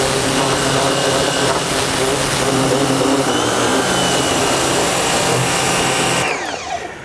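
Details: Nilfisk C110 pressure washer spraying outdoors with the circular nozzle head, which covers a wider area with less power than the flat stream nozzle: steady even water hiss over a smooth motor hum that cuts off cleanly; running normally.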